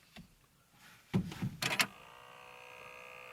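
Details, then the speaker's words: Ford Fiesta Mk7 1.4 Titanium, right-hand drive, clutch pressed, quiet cabin: faint constant buzz from the vent near the driver's left knee, suspected vibrating climate control temperature sensor fan behind the vents, a known Mk7 issue. "as you can hear this annoying buzzing noise that's constantly there in the background now it's come in from this vent up in here near my left knee"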